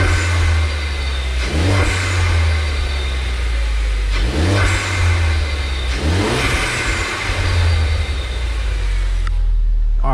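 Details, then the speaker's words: Ford Focus ST with a new K03 replacement turbo, revved in neutral with no load and still cold: a faint rising whistle on each rev. This whistle was never heard before, even with the airbox lid off, and is taken as normal turbo spool. "yeah that that little whistle even with the air filter box come take it off I still didn't hear but now it's like"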